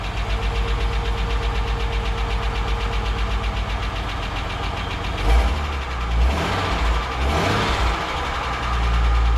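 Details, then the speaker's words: EF Ford Fairmont after replacing centre-section mufflers (old baffles rattled), car still jacked up: even low idle thump about four pulses a second with smooth throttle blips and no rattle; exhaust now quiet and sound. "I think I've got to hear the silence again. I'm so pleased by it."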